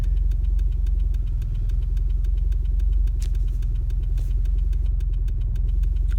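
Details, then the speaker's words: 940 big turbo with new Deka 630cc injectors and new matched chips, warmed up to temperature at idle; deep, even low thrum with a steady beat and no misfire or knock, AFRs still decent; normal idle. "it's up to temperature now and uh the afr's are still pretty decent"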